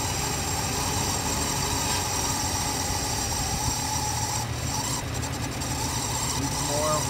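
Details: Ford Mustang 5-litre small-block V8, first start after sitting 10–15 years on old fuel that made it ping: steady, even low rumble holding an unchanging idle without stumbles or misses; normal idle.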